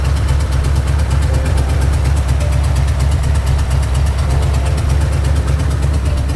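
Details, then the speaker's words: Ford 4.6 liter V8 rebuilt from a knocking engine with used junkyard crank and bearings, reused rod and main bolts, first start on long tube headers, no radiator: loud deep steady idle, no knocking or ticking. "the motor is definitely not knocking it's not making a ticking noise it's not doing anything"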